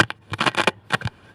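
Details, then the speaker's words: TG 544 stereo reel-to-reel, now working, played through its speaker: irregular scratchy crackling bursts that need contact cleaner. "You can hear there's um there's a bit Yeah, needs it needs contact cleaner."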